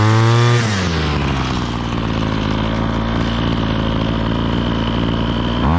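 A high two-stroke buzz drops smoothly to a steady, even idle with no stumbling or misfire; the trimmer is running healthy.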